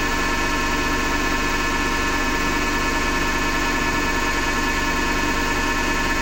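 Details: Hotpoint Ariston FMD963 washing machine with steady harsh grinding under the spin hum, pulsing slightly each drum turn; the owner suspects the motor rather than the drum and plans to remove the belt to test.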